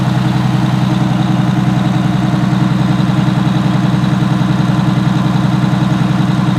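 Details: Allison V730 transmission motorhome diesel revved to about 1900–2000 RPM cruise speed, listened outside at the engine: deep even drone with a steady high whine loudest at the power steering pump.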